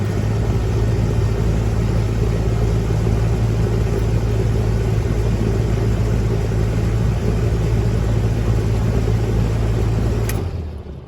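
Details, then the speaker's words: 1996 Heil AG030GB1 2.5-ton condenser with hard start kit at about 55°F ambient: steady low hum with no struggle, chatter or buzz; start current about 37 A then dropping, healthy start. "it's jumped up to about 37 amps and then dropped down, so that's not bad at all."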